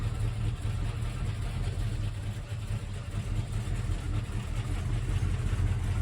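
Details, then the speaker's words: 1971 Mercury Comet GT V8 with a small roller cam, backing off a trailer: rough, lumpy chugging idle with a clacking tick, down on power. Collapsed lifters or a bad cam suspected; metal and needle bearings later found in the oil. "It's not flat tappet, it's roller, but it's running bad, it's chugging, it's down on power, and it clacks really bad."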